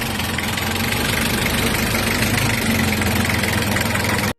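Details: Engine running with an even, steady note and no rattle or metallic chatter after both front and rear alternator bearings were replaced to cure an engine bay rattle; sounds healthy.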